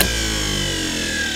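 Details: Power window hydraulic pump motor from a 1953 Oldsmobile 98, bench-tested dry with no pump gear, jumped via solenoid: steady high electric whir with even pitch; motor spins freely and works as it should; normal motor run.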